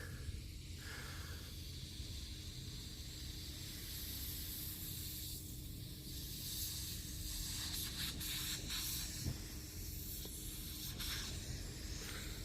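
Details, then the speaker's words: Hyster forklift hydraulic cylinder pressurized with air at 140 psi: soft continuous hiss with brief louder bursts over low rumble, air escaping through the crack; the change in sound locates it to guide gouging before welding. "you can hear the change in sound from the air. And that's how you identify where exactly the crack is and if you got to keep gouging."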